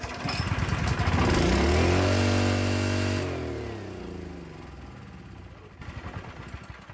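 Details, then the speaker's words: Honda GX160 5.5 generator with a previously botched carburettor, throttle found stuck: engine climbs to a hard strained scream, holds flat out, then winds down; overspeeding, cause not yet found. "That's revved out to the max there. Not good for anything."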